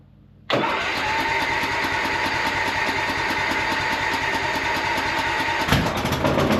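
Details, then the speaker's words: Cub Cadet lawn tractor mower, first start after new starter fitted: catches abruptly at busy uneven fast idle, then a sharp pop; loud startup backfire with black smoke that cleared up. "And it gave a real loud backfire, bunch of black smoke, but it cleared right up"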